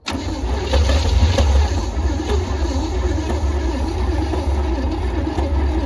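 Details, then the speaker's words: 1976 GMC K15 with a 350 small-block and 55,000 miles, parked 38 years: the starter turns the engine over at a steady beat with a few weak firings that never catch; it seems to need more fuel, cause not confirmed. "Okay, hold on, hold on. Seems like it needs more fuel."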